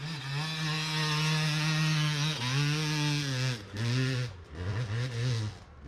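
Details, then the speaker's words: Yamaha YZ250X two-stroke enduro bike with Panthera electric start, after fixing a slipping power valve; crisp note climbing and dropping cleanly through blips and pulls with no missing, running healthy. "and right away i can tell that i've solved my issue and this is gonna be a great day"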